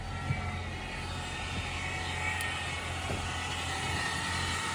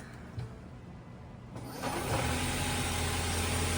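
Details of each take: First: 2018 Ford Fusion Hybrid with HF35 transmission at 127,000 miles, started and parked, heard from inside: steady high-pitched squeal over a low hum from a failed transmission stator bearing; the transmission was replaced. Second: 2018 Ford Fusion Hybrid after replacing the squealing HF35 transmission (failed stator bearing): starts and settles into a steady, even engine hum with no squeal or whine; normal running after the repair.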